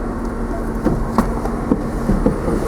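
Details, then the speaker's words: 1995 Nissan D21 pickup after replacing the original 25-year-old ignition starter switch that caused intermittent no-start with an electrical buzz: short steady idle with low hum and light ticks, no buzzing; normal. "yeah see that's that's what it's supposed to do okay well there you go guys there was the issue"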